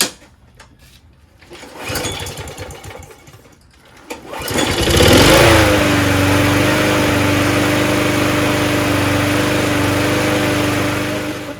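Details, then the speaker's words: Toro GTS 6 hp Briggs Quantum recycler self-propelled mower after carburetor cleaning, primed: fires after a few pulls and settles into a steady, even drone without surging; normal running (slight hunting later, air filter suspected). "this time it should run on its own because we clean the carb so [Music] the self-propulsion is very strong that's awesome"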